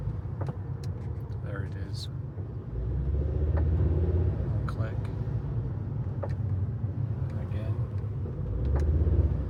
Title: Volvo c. clicking noise what is it?